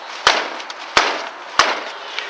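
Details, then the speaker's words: Ford Expedition with 17-inch tires: three firm kicks about two-thirds of a second apart on the front left tire, each a short solid thump with no rattle or hollow ring; healthy tire kick thud. "It has a nice thud sound. So, we'll go to the uh front right."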